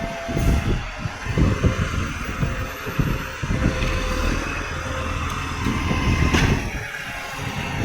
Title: tweed garbage 3226 exhaust leak 130 sub special